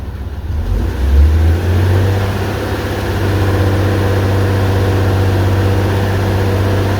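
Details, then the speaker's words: 2001 Mazda 626 2.5L V6 after replacing dead injector: quick rev blip then low even idle; bank 1 sensor 1 O2 signal now normal, firing on all six cylinders, problem fixed. "This is how it should look. Exactly how it should look. So, this tells me we're firing on all six cylinders now. So, that fixed that problem."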